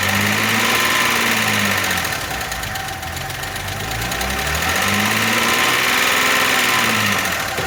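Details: Audi A6 restarted after reassembly following loud knocking and condensate under the cover: fast, even ticking about four per second at idle; hydraulic lifters refilling with oil, quieter than before and gradually fading, possibly damaged by oil starvation.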